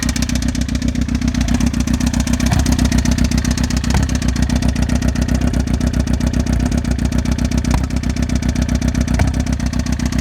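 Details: 2007 Suzuki GSXR600 after ticking began at 55 mph; loud fast ticking clatter at idle and revs, keeping pace with engine speed, with exhaust gurgling; cause unknown.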